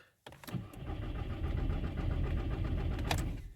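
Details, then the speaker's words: VW/Skoda/Seat 1.9 TDI PD with non-start faults P0341 and P3008, after a new timing belt was fitted; the starter cranks at a slow, steady beat for about three seconds but it never fires because the injectors were left unplugged. "yes i forgot to put the injectors let's try again"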